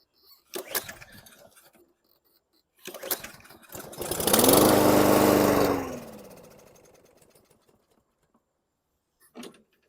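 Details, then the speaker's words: 2014 Toro Recycler mower: pull-start cranks, catches and revs about two seconds then dies; starts then stalls, owner suspects a dirty carburetor, water in the bowl or plugged jet. "so that turned out well a little bit of motivation and uh it kicked off and stalled which is an indication of dirty carburetor possibly water in the bowl or a plugged up jet"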